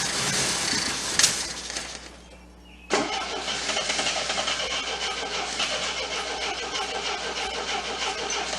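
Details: Abandoned 1979 Triumph TR7 fitted with rebuilt carburetors swapped from a parts car: after a short crank it fires abruptly and settles into a steady idle with a busy, ticking top end; engine starts and idles.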